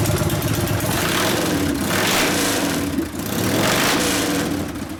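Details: 1999 80ci Evo, rigid frame, just rewired and first started after repairs: uneven, lumpy idle that sags and hunts between throttle blips and won't settle. Suspected lean low-speed circuit; mixture screw at 2.5 turns out, bigger low-speed jet needed, accelerator pump suspected not working.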